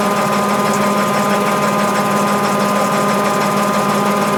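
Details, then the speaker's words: Mabe 18 kg washing machine spinning with the thermoactuator engaging the pulley and agitator gears and the drain pump running throughout; loud, even whirring with no knocks or scraping; normal spin cycle. "cuando estos dos engranes están ensamblados correctamente entonces la lavadora tiene las condiciones necesarias para comenzar a centrifugar así como lo estamos viendo en la reproducción del vídeo"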